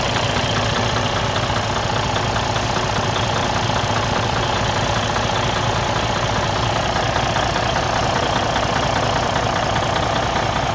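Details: Freightliner Cascadia DD15 diesel at idle: loud, heavy knock repeating about 100 times a minute, suspected broken internal engine problem.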